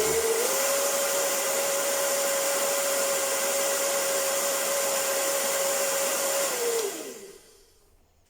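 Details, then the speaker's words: Hair dryer that made an odd noise when running, after repair: motor bushings ground down and lubricated with synthetic oil. Steady even whir with a clean constant tone, then a smooth spin-down at switch-off; motor and bushings sound healthy, normal running. "вот смазал синтетикой он так немножко пленочку сделал хотя медно графит и втулки вас маски не нуждаются но все же смазал вот в принципе работает нормально"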